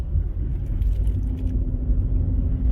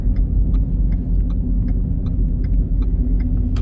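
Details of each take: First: Ford Fusion hybrid on a road test after the bad rear wheel bearing was replaced: steady quiet road rumble with no growl or roar and no change; very slight noise on right turns, left bearing suspected starting to go. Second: Ford Fusion Hybrid driving: deep steady roar with faint ticks two or three times a second from the rear; likely a worn wheel bearing.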